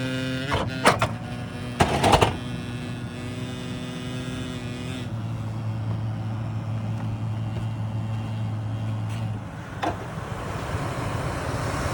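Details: Loud, steady, low-pitched HVAC hum holding constant for several seconds with a few knocks early on; abnormal drone, cause not evident.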